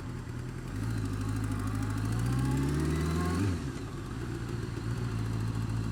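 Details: Honda Fireblade engine revving up and dropping back with a light, fast ticking over it; ticking worse when cold, quietens but persists when warm; feels slippy; source of the tick unknown.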